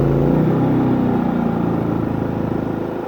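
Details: New Harbor Freight auto-sensing inverter generator with about 12 minutes on its hour meter, heard as the trailer's AC cycles off and on; even hum drops slightly in pitch as the AC kicks on, then holds steady, picking up the load normally.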